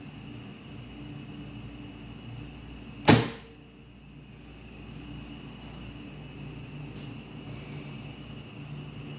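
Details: Star-delta starter with three contactors, 220 V coils and supply, NC stop, NO start and 10-second timer changeover: one crisp clunk as the contactor pulls in, then a faint steady hum with no chatter; starter engages cleanly.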